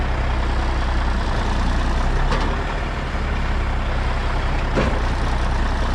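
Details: 1994 International 9600 cabover, N14 Cummins diesel, 561,000 miles: after unplugging the low-coolant shutdown sensor, steady, deep, even idle rumble with faint occasional hiss while building air pressure; healthy.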